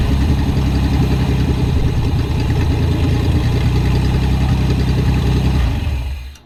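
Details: Barn-find Pontiac Fiero after valve-cover teardown and doubled O-ring fix holding pressure: steady even low idle with no misses or knocks, then switched off cleanly; running healthy.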